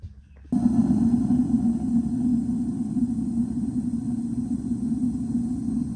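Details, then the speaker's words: R-Pod camper travel trailer hot water heater lit on propane, with the water pump running nearby; a steady low whooshing roar starts abruptly and holds even, the propane burner burning properly. "You can kind of hear the roar of the propane. So that's working. Cool."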